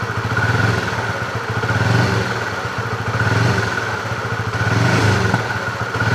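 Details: Fuel-injected Honda CB motorcycle being checked for hesitation (brebet): each blip, roughly every 1.5 seconds, rises and falls cleanly without stumbling: normal throttle response.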